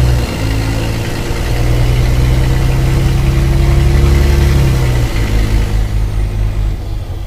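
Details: Mercedes-Benz O-500MA bus, VB Transportes no. 1562, with holed exhaust: deep diesel idle with rough chuffing edge swelling and dropping as revs rise and fall; exhaust leak.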